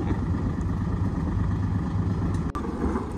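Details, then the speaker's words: Boat engine running: a steady, even low drone with no misses, knocks or stumbles, working as it should. "do you hear the sound of that it's the engine working"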